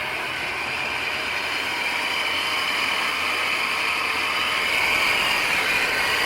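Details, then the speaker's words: 1993 GMC Sierra half-ton with crate engine, started on a 10–15°F cold morning, alternator charging near 15 V; steady high whirring rattle over the running engine from a noisy belt tensioner pulley. "got a noisy pulley somewhere i think the tensioner pulley is a little noisy"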